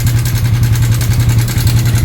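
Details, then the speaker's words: Yamaha Sniper 155, cam chain tensioner, already on its second stock tensioner, before swapping to a manual tensioner: loud idle with a fast, steady rattling tick over the engine beat; cam chain tensioner noise, chain slapping. "Lock, no? Tensioner mga boss, confirm."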